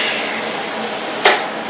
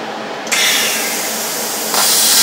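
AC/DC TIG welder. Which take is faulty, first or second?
second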